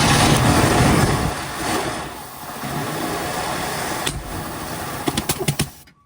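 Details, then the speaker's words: Early-1970s (1971) Chevelle Malibu small block, first start on choke after 20+ years sitting and cleaning corroded distributor cap: briefly roars, sags, then pops as it dies; backfiring, carburetor or air-fuel mixture suspected. "there might be something up the carb or something it's backfiring a little bit or it could just be the airor to fuel"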